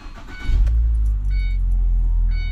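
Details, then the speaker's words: Ford Transit Connect van after replacing engine mount (new three-piece mount kit), started from inside: starts and settles into even, steady low idle with no knocks or shudder, no shaking in park; slight shake in gear remains, transmission mount still to replace. "and it actually feels really smooth there's not any shaking let's put it in uh Gear engine seems good"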